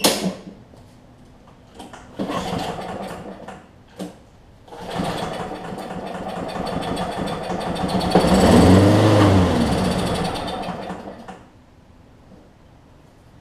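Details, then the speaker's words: Lawn Boy push mower after blade-stop switch fixed to restore spark: small single fires with fast uneven popping, surges a few seconds then dies, running only on starter fluid; carburetor needle and seat later found bad. "a good thing obviously it's just running on starter float at this point so we know that self appeal works we know that it will start and crank"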